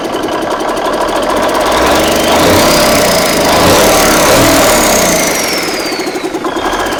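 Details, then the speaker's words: Big Cam Cummins NTC 365 diesel, home-rebuilt after bent pushrods from timing: even, steady idle clatter with no misses or deep knocks. It runs well, but oil pressure is low and there's an oil leak; owner hopes a new oil pump, rods and mains restore it. "Runs pretty good, huh? Sounds good to me. Not bad for my redneck rebuild."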